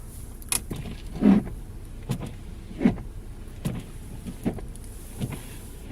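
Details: Lada Vesta with new winter wiper blades, one blade sitting tilted and jumping: wipers sweep about every 1.5 seconds, each pass squeaking and juddering on the glass; fixed by straightening the blade angle and spraying moisture-protection lubricant.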